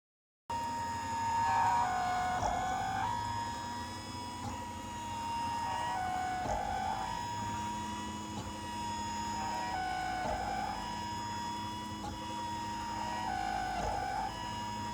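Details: New Printrbot Simple 1403 3D printer while printing: a high, steady whine near 900 Hz that dips lower every few seconds as moves change; owner suspects the X-axis movement, not confirmed.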